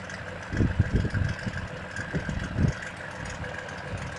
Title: Стук в двигателе...ч.2